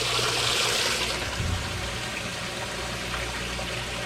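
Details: Used top-load washer on the normal cycle, warm selected: steady rushing hiss of water with no chatter or hammering, inlet valves filling normally.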